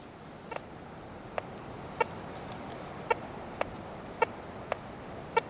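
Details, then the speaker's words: Tesoro Tejon metal detector, discrimination blocking up through nickels, over a dime 4 in deep boxed by four nails: short uneven chirpy blips, chatter from the iron in one sweep direction, solid signal the other way. "giving a little chatter this way hits it real good this way solid signal"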